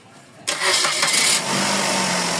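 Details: Suzuki Celerio with engine misfire issue, after swapping in replacement parts (a newly bought part was faulty): engine cranks and catches at once, then settles into a steady, even idle with no stumbling. Normal start and idle.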